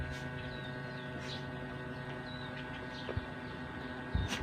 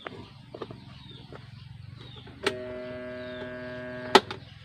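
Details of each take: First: Star Crown electric fan that wouldn't spin and hummed, after capacitor work, running on low speed: quiet steady hum with soft even whirr, no scraping or labouring; normal running after repair. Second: Electric fan that won't spin: after a click, a steady electrical hum with no blade whoosh; winding is intact (not open), motor stalled with seized shaft.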